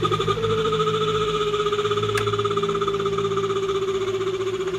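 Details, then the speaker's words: Mabe twin-tub washing machine on spin: steady high squeal over the motor hum, slowly dropping in pitch, sometimes louder; the part is running dry and wearing, fixed by greasing. "el detalle que tiene esta lavadora es que suena al exprimido chilla hace un ruido la voy a encender para que ustedes puedan escuchar"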